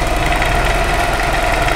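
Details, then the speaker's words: Yamaha NMAX that cranks but will not start, no air pressure at the exhaust: quick, even cranking whir with no compression pulses or firing; no compression because the cam timing chain is broken. "karena kita Nyalakan tadi permasalahannya sehingga motor ini bunyinya kecil namun tidak mau hidup Pak tidak mengeluarkan tekanan udara di bagian knalpot ini Pak"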